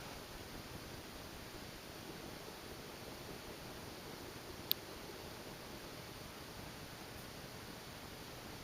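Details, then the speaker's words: 1983 Canarm 140 cm (56-inch) Hong Kong-made ceiling fan, repainted, running at a higher speed with a slight wobble: almost nothing but faint room hiss, with no hum, clicks or rubbing. A very quiet, healthy fan. "It's extremely quiet, as you can hear. Must be a real treat sleeping under this fan, especially going at the speed."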